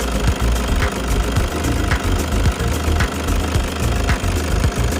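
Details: Toyota HiAce van engine running: low rumble with a loose, irregular knock tapping through it; engine knocking.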